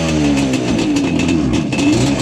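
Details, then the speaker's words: Yamaha Banshee two-stroke twin ATV with very low compression, slightly warmed: it picks up off idle but the revs sag and stumble instead of climbing, a bog at low rpm that improves higher up; some type of miss is suspected. "You see, it already started doing it. See? That's what it does in the low RPM. Now, once it gets up in the RPM a little bit, it does seem to run just a little bit better."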